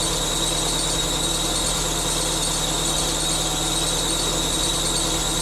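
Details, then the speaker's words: 1999 Subaru Forester S 2.5L EJ25 SOHC, first start-up after head gasket replacement, idling: steady high-pitched squeal without letup from the bottom pulley, which was on a little too tight, squeaking against its belt. "now there was also a squeaking noise that was coming from one of the pulleys and so that was another thing that i was trying to figure out earlier"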